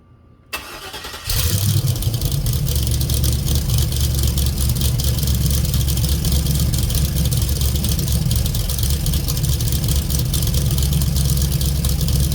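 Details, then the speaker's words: 1980 Firebird with 4.8 Vortec LS swap, FiTech EFI and glass-pack exhaust: engine catches after short crank, settles into low idle with slight uneven flutter, MAP about 23–26; rough idle, was dying at idle, cause unknown. "I don't know if you can hear it, but it is kind of fluttering a little bit."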